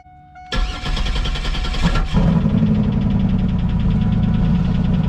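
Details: Fourth-gen Chevrolet Camaro V6 cold start on a cold day: cranks briefly, catches roughly with backfire and sputter, then rapid uneven tapping over the idle; exhaust leak at muffler noted but cause of tapping unconfirmed.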